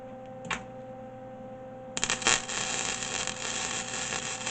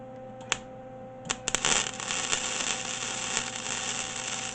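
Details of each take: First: MIG welder at wire speed setting 3: a dry, uneven crackle of spits and pops instead of a smooth sizzle; weld spattering heavily, setting 2 later runs smooth. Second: MIG welder with new wire fed, wire speed turned down from three to two: steady even sizzle after a few pops at the strike, no stutter; around two is right for this metal.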